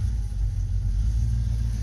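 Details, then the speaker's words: 1990 Ford Mustang GT 5.0 V8: deep uneven V8 rumble lurching and stumbling, bad misfire; owner suspects the weak coil and plans an MSD coil. "let's go for a ride now right now Oh misfire and bad"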